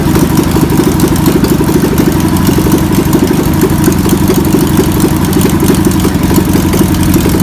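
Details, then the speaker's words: VW pressed-bumper bus engine sat over 50 years, run after freeing with spray and fuel added; fuel pump suspected bad. Air-cooled flat-four idling loud with slightly uneven, lumpy beat; runs steadily, old engine still untuned. "well I would say that's a runner's so now we can pull the pull the engine out"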